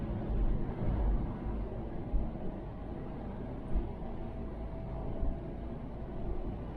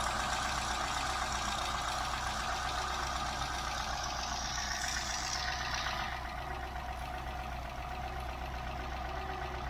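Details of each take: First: Mk3 Ford Cortina 2000 GXL with BW35 automatic, cruising in top gear after changing up: soft even engine drone under light road noise, no knocks or whine, very quiet; normal cruise. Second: Mk3 Ford Cortina 2000 GXL petrol engine idling, heard close to the valve: fast even light rattle about four per second from a chattering brake servo non-return valve, easily mistaken for something loose.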